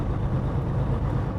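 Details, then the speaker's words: Truck with DT12 12-speed automated manual, rolling while braking toward a corner, engine dropped to idle as if the clutch is held in: low, steady diesel rumble. Normal coasting idle. "It might be in 7th gear and it just goes down to idle. As you're braking up to the corner, It's like being in the clutch."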